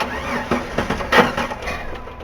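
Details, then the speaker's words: ZJ-generation Jeep with a long-crank complaint: key cycled a couple of times to prime, fuel pressure reached about 40 psi (spec 40–53) and it fired after a brief crank, settling toward idle. Pressure won't hold and bleeds back to the tank. "easy there now I don't know if you guys noticed they got to about 40 psi and fired the pump should run between 40 and 50 3 psi"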